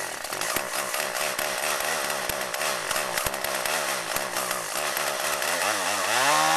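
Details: Chainsaw running on old stored boat and chainsaw gas blended with new non-alcohol fuel, cutting wood: a crisp two-stroke rasp bogs slightly in the cut, then revs cleanly back up, pulling strong without stumbling. Normal running under load.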